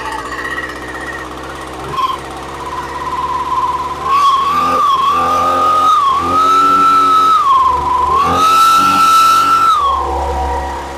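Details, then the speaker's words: Echo PB250LN two-stroke leaf blower first running after spark issue sorted, choke on and primed: surges up and sags in waves, never revving fully; owner suspects rich carburetor needing adjustment or cleaning, it also leaks fuel. "Definitely needs some carb work, either adjustment or cleaning. I said it leaks fuel, so I'm going to go ahead and do all that, but you can hear it doesn't rev all the way up. Sounds like it's a little bit rich, so I'm going to go ahead, tear into that."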